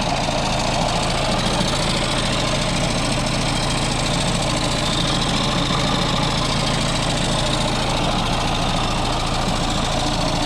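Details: Audi A6 2.0 TDI diesel with 0B5 DSG automatic, idling with car raised: loose, uneven rattle about three knocks a second under the clatter from the engine-transmission junction; worn dual mass flywheel.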